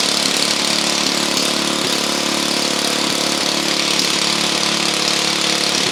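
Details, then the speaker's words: Honda EU2000i inverter generator running with the plugged muffler removed, after earlier spitting and sputtering: steady, even speed with raspy exhaust bark, no spitting or sputtering; runs clean. "so it ain't spitting and spluttering like it was earlier because the muffin the muffin is plugged"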